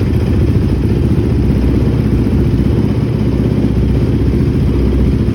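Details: 2006 Honda TRX450R quad after a tune-up with new stator, CDI box, wire harness, spark plug, cleaned OEM carb with rebuild kit and valve adjustment; deep, steady single-cylinder thump with even beat, no misses or clatter: normal running.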